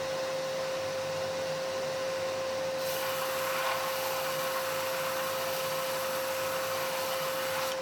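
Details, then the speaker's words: Biltema BDS915 bench band and disc sander after replacing the faulty magnetic no-volt release switch, on mains power: smooth, constant motor hum at one steady pitch with no rattles or surging; runs stably as it should. "Máy chà nhám sẽ khởi động và chạy ổn định."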